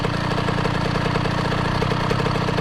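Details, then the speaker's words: KTM 50 SX two-stroke dirt bike idling after the exhaust was repacked and remounted: steady, even idle with a rapid fine pop and no harsh rasp. Much quieter and well muffled compared with the loud, raspy exhaust before. "unreal, dude. It was so loud and raspy before. Unbelievable difference. I know you probably can't hear it on camera, but the difference is absolutely insane. It is so much quieter."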